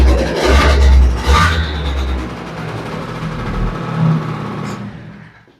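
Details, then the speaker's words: Vespa LX 50cc two-stroke engine after overhaul with original crankshaft and cylinder, first start, still in cold-start phase: steady low burble idle, no rattling, runs nicely and normal. "Very nice. Got right to it. Runs really nicely. Still in the cold start phase."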